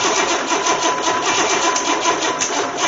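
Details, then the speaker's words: Engine from an 84 Corvette that sat nearly 20 years, cranked on the shop floor before installation: fast, even starter churning with strong compression pulses rocking the engine, never catching; cranks but won't start, with many vacuum leaks. "so wow I mean I got 9,622 vacuum leaks and it sounds like still sounds like it wants to run"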